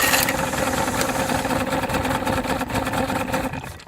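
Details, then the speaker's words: 1971 Mercury 500 outboard after refuelling with fresh gas, while throttling back near the dock: uneven, lumpy running that sags and dies after a few seconds; misfire, running on two cylinders, cause unknown. "It was definitely only running on 2 cylinders for sure. I mean, it was reasonably smooth when it ran."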